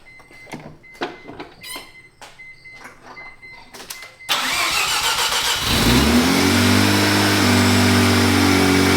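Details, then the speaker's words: Neglected barn-find Mazda RX-7 rotary first start after teardown, fuel leak fixes and rebuild, started without the gauge cluster; clicks and handling, then it catches and settles into a loud, steady, high-pitched idle that returns nicely to idle, sounding as before, normal start and idle. "sounds pretty much exactly like I did before we took it apart yeah like a crotch rocket stuff [Music] oh I love that how it comes back down to Idol that sounds so good dude"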